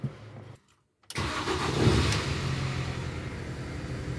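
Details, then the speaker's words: Car after starter motor removed and refitted over a cold-weather starter noise: brief crank, pause, then catches at once and settles to steady even idle; starts first turn as it used to above 5 degrees, healthy start. "et elle démarre en quart de tour comme avant quand il fait au-dessus de 5 degrés"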